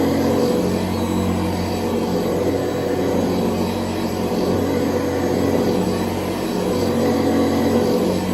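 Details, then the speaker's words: Old Hoover Convertible upright vacuum on its final test run after brush-roll and bearing service: a steady, even motor drone and hum with no knocks, rattles or surging. An earlier noise was blamed on a loose roundel; it now runs healthy. "Yeah, I think we may be good. Yeah, I don't see anything."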